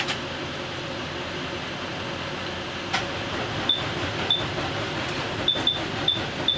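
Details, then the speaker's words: 2017 Thor Vegas RV engine, jump-started from a truck at about 13 V after a starter signal-wire repair: a steady, even whirr as the engine spins over freely on the starter, with a few short chirps. "Let's try it again. Oh, it spun over."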